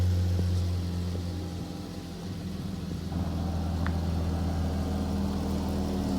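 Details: Chrysler 3.6L Pentastar V6 in a Dodge Charger after a ticking noise repair: smooth, steady low idle hum with no ticking over the top.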